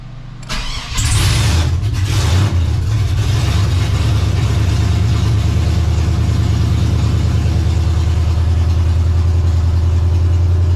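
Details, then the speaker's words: 2003 Chevy S10 ZR2 with home-built 5.7 Vortec 350 V8, open headers, just started after fixes, not yet warmed up: cranks and catches, then steady even low rumble with no pops or misses; smooth idle. "but I can feel sitting in here and I can hear it it's a lot smoother right now so we definitely fixed a thing or two"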